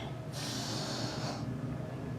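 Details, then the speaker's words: 1970 Mopar Superbird brake booster after rebuild, engine off, check valve one-way: a short sharp hiss of about a second. The booster holds its vacuum reserve and is working fine. "Make sure that the booster's holding some vacuum. So that if you're cruising down the highway, motor shuts off, run out of gas or something crazy, you want to have some vacuum reserve in the can so that you can do an emergency stop, bring the vehicle to a rest."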